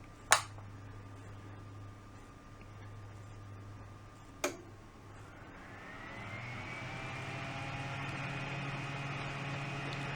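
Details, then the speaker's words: Fan on a UPS output, AC power switched back on: a click, then the airflow hiss swells as the blades, barely spinning on battery, speed up to an even rush. Normal full-speed fan running. "So hopefully the camera is picking up that noise and you can see the difference in the speed of the blades."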